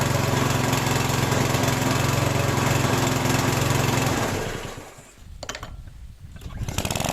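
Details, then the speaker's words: Lawn mower small engine after valve clearance adjustment: runs even and steady with no metallic tick or dull knock, then dips and picks back up; running perfectly. "Látjuk, hogy a motor tökéletesen jár."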